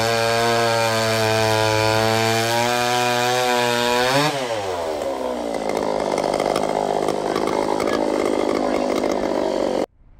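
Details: Vintage Pioneer P41 66cc chainsaw, carb rebuilt, free-flowing muffler mod, 24" bar, after fixing various issues: screams at high revs, bogs and drops pitch biting into wood, then cuts off; loud, healthy, more powerful than expected under cutting load.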